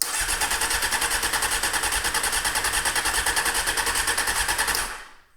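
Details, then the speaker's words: 1998 Honda CBR600 that has sat for about a year; the choke lever only travels halfway. The starter churns at an even pulse, about three a second, with no real catch: crank, no start. Owner suspects dirty carburetors, not confirmed. "So my best guess is it's a case of dirty carburetors."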